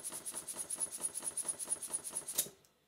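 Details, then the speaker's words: Stuart 5A model steam engine running on compressed air with WD-40 from a small compressor: sharp, even knocking about seven or eight beats a second once pressure drops; insufficient air volume to cushion the piston, not water or temperature. "unfortunately though my compressor is very small and in no time at all the pressure drops and very soon the knocking starts again this has nothing to do with water nothing to do with temperature"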